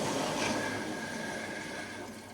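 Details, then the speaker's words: Heating system after zone valve replacement, circulating pump in 10-minute vent mode set via the Grundfos GO app: faint watery rushing, bubbling and gurgling that fades as trapped air is pushed out. "So, before Well, there's still air in it cuz you can hear the bubbling and the gurgling, but that is all done through the Grunt Go app."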